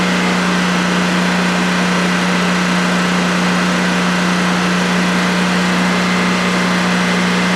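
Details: DuroMax XP15000HX generator installed in a shed, on its second start, running on propane with the exhaust fan off: a steady, even drone and constant low hum with no knocks or hunting during a 5-minute test run. Normal idle, no issues.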